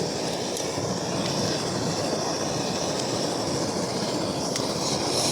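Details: MSR Dragonfly liquid-fuel stove running after priming, following an earlier flare-up: even, continuous hissing roar with no pulsing or sputter. Owner suspects it needs a service and jet cleaning, not confirmed.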